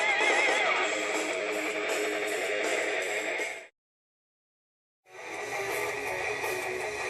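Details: Laptop speaker after repairing its cracked, crackling diaphragm by covering it with double-sided foam tape; music plays clear and full with no crackle or buzz on louder passages, speaker reproducing cleanly.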